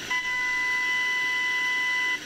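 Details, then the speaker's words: Hacker Sovereign RP18 AM/FM transistor radio after its FM section was fixed by replacing capacitors, FM section not yet aligned: a clean, steady test tone of about a thousand cycles from the signal generator plays and cuts off, so normal FM reception. "and now we get a tone through the through the radio now it's not aligned at this point it's working"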